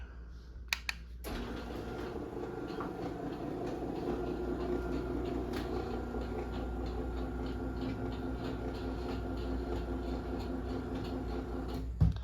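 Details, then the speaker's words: 2010 Chamberlain Whisper Drive 248739 1/2 HP belt-drive garage door opener (120 V, 6 A) running down: low, steady motor hum, no scraping or grinding, click at the end. Healthy, super quiet normal operation. "So yeah, super quiet."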